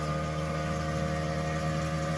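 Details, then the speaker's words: Newly replaced household water pump, previously quiet, heard as water is turned back on after a toilet handle repair: loud steady droning hum at constant pitch, straining; noisy water pump from blocked water flow. "That's the new pump. That was working perfectly fine before."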